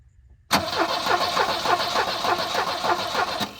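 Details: Abandoned Volvo 745 Turbo that had been sitting: starter cranks steadily, about three or four compressions a second, for three seconds but never fires. No spark was later traced to a bad coil; no fuel pump heard.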